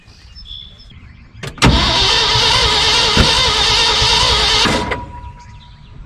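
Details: 1974 Ford F-750 dump truck sitting 4–5 years, carburetor rebuilt for leaking seals, spark confirmed at the coil: about three seconds of hard starter cranking that sounds close to firing but never runs; cranks but won't start.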